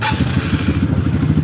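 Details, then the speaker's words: Kawasaki KLX BF, bored-up, after starter one-way clutch bearings (rollers) replaced: quick clean electric crank into an even single-cylinder patter, starter no longer slipping or harsh. "sip ini sudah jos ya sudah tidak ngelos lagi sudah tidak kasar lagi sudah"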